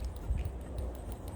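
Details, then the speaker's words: Old PCV valve removed from a 2018 Subaru Legacy 2.5L at over 80,000 km, shaken by hand. Only a faint, barely audible ticking rattle; owner concludes it is clogged. "you can hear just ever so slightly so it is clogged up"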